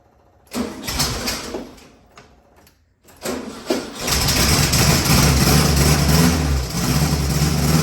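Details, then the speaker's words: Air-cooled VW Beetle just after an oil change and new spark plugs, running very rich with the baffle fitted: it fires right up into a loud, rough idle with a quick light ticking under the clatter. Lifters probably need adjusting. "cooperate yeah now that I'm listening to it it sounds like it probably needs the lifters adjusted"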